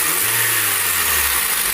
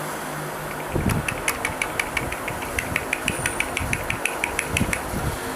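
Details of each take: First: 2013 Honda Civic petrol engine revving smoothly after replacing the complete accessory belt tensioner assembly, which caused a rattle when the A/C was switched on: even revs with no squeal, chirp or rattle. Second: 9th-generation Honda Civic, engine running: fast, even light ticking about six a second from the accessory belt, a rattle worse with the AC on or when revving. A poor-quality tensioner fitted less than a month earlier is blamed.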